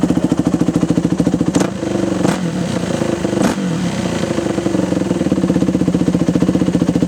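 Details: Yamaha YZ426F single-cylinder dirt bike, bought non-running, after refitting the carburetor needle seat with a thicker O-ring: crisp, regular thumping that picks up cleanly on throttle blips and settles to steady idle; runs fine.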